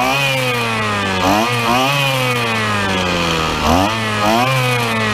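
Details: Two-stroke petrol trimmer that would not start, after the carburetor was removed, a spark check (the suspected culprit) and priming. Warming up, the buzz holds a steady pitch with smooth throttle blips and no sputter or dying. Normal running.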